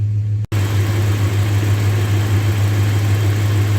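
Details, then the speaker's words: Good used replacement engine just swapped into a 2001 Dodge Ram 1500 (original needed a crankshaft), idling while warming to thermostat opening: smooth, deep, even V8 burble with no ticks, knocks or misses; healthy. "that is a nice running engine I have to say that"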